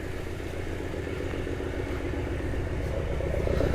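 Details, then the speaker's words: Petrol car showing 104 on the odometer, started after sitting an unknown long time: deep, uneven rod-like knock at idle, about three to four beats a second, under outdoor noise. Oil pressure was building, and the knock went away after running a while. "oh we got rod knock I don't know how long this thing hasn't been started for"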